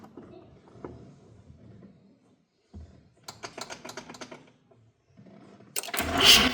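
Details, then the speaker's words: 1985 Mazda RX7 GSL-SE (FB, 13B rotary) cranked for the first time after sitting 24 years, with suspected electrical issues. Slow, uneven, sluggish cranking that speeds up somewhat over time; the battery positive terminal got hot. "You notice that the engine did start spinning a little faster after a while, which was interesting."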